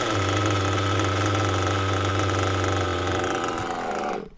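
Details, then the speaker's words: Mugen MBX6T nitro truggy during carb tuning. Low, uneven idle that sags and dies out. Idle still set too low; the idle screw is being turned in. "Still too low. Still too low, John. John? We'll turn that one in and that's now."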